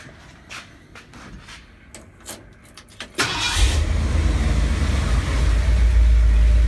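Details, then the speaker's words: 1970 Ford F250, slightly warm, after sanding off corrosion cured its high idle and stalling: brief crank, catches at once, steady even low rumble with no misfire or stumble; normal idle after repair. "so now the engine runs really well I'm going to crank it over for you I already got the engine running this morning so it's a little bit warm and so it should crank right over back"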